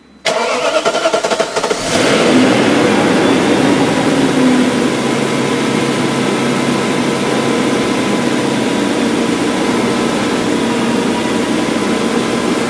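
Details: BMW M62B44TU V8 with stock exhaust, after replacing the timing chain tensioner with an aftermarket INA part: clean crank and catch, then steady even idle with no timing chain rattle or tapping; runs healthy.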